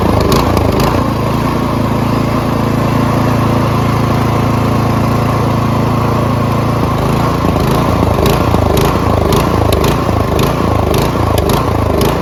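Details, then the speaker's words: Troy-Bilt Storm 2410 MTD Powermore engine after Lucas fuel system cleaner added: steady drone for seconds, then hunts up and down unevenly under throttle; still surging as before, suspected inaccessible pilot jet. "so as you guys saw uh our fix did not really fix the problem because it still surged just as much as before"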